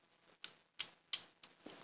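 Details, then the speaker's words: Two-door Polytron refrigerator whose lower compartment blocks up with ice and won't cool: the defrost timer gives sharp, uneven ticks about three a second and fails to switch over to the heater; the timer is faulty. "Wow. Ini yang bikin bunyi ini apaan? Tuh. Ini pindah ke heater. Ini rusak ini benar."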